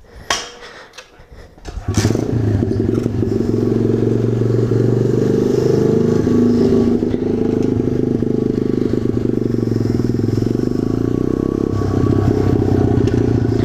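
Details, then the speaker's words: 2015 SSR 125 dirt bike after swapping back in the original stock 125 engine: starts and settles into a steady, even run with no ticking over the exhaust; sounds healthy. "hey guys I'm back and I'm on a bike and as you can probably hear there's no ticking strange ticking sound because I swapped back in the original 125 so it's basically just a stock Asar 125 now"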